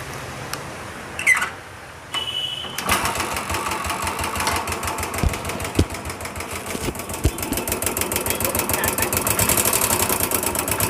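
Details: Royal Enfield Bullet single idling: fast metallic clatter in time with engine, like utensils banging, pointing to faulty hydraulic tappets before inspection.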